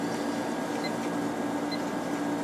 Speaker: we can just hear this one this one has a real nice sounding compressor in it